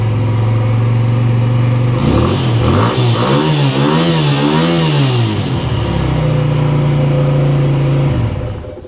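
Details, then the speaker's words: Suzuki VL250 twin, cold start (no carb heaters, cold Tasmania) now starting consistently; steady low idle, brief rev rise and fall, settles smooth and even, very quiet with heavy exhaust. "it is a very quiet and B that is a very big heavy clunky exhaust that has to go"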